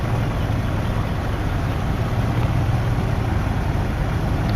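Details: Jeep ZJ 4.0L inline-six after repairing a leaking oil filter adapter. A low, even rumble holding steady with no misses, ticks or knocks; smooth idle.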